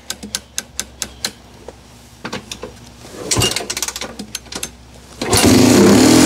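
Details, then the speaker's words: Honda 250X ATV, sitting about 10 years, first start on choke in neutral after swapping in a used gas tank; fired after about three kicks. Uneven popping bursts about four or five a second, then ragged running. Still needs tuning; mixture suspected. Rough running. "okay that's a Honda still got to do some tuning you can hear it but she's running"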